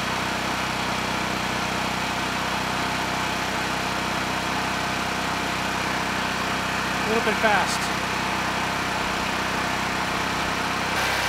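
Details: Honeywell HW5500 5500-watt generator, 337cc engine, after fitting new Hipa carburetor, replacement tank and old gaskets (insulator issue found); steady, even hum with no misses, surging or knocks, holding speed cleanly — normal running.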